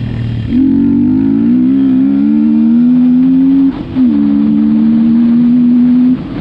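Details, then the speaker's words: 2021 Beta RR125 LC 4T ridden with the airbox open. A loud, droning intake tone rises through the gears with a short break at each shift; the box resonates a lot. Wind noise is present. "Mais effectivement, quand on a soit la boîte à air ouverte avec le filtre posé, ça résonne beaucoup. La boîte, elle fait résonance."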